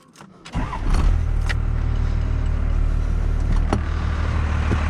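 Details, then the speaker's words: 1992 Dodge W250 5-speed 12-valve Cummins diesel, 288,429 km, muffler and resonator fitted: fuel lever pushed in, wait-to-start, quick crank, catches within a second into a steady, deep, even first-gen diesel idle; starts and runs healthy. "Like I said, it's got the muffler and the resonator on it, but it still sounds like a first-gen diesel. Those old 12 valves are like tractors. Can't get rid of that sound."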